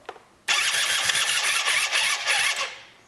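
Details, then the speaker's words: A 2004 Yamaha Zuma 50 after a work-around repair, with the conical washer at the starter clutch/belt drive reset to take up play, on a weak battery under charge: the starter cranks briskly for about two seconds and it almost catches but doesn't start. "Well, that almost caught."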